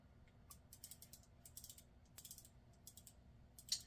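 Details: Penn Leveline 350 vintage reel being repaired; level-wind gear found installed upside down and refitted; cranking now gives light, uneven ticking clicks with no grinding or binding, gear turns freely; normal level-wind gear operation.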